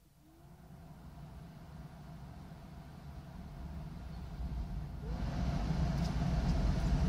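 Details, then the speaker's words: Smart fortwo 450 heater blower after replacing the faulty series resistor (previously only top speed worked): steady fan rush stepping up through speeds 1–3, no rattle or squeal; blower working normally. "Le premier niveau fonctionne. malheureusement vous ne pouvez pas l'entendre. Niveau 2 fonctionne, c'est facile entendre."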